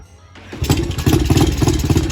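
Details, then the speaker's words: Yamaha TTR-90 pit bike after carb cleaning and unclogging the main jet: it catches and runs in uneven, choppy pops, then dies when the hand is taken off the carb. It starts but won't run on its own fuel, suggesting it needs more fuel, and the carb probably needs cleaning again. "yeah so it'll start on its own gas but it doesn't want to run on its own gas so yeah i'll probably get probably gonna have to clean out the carb again for like the third time"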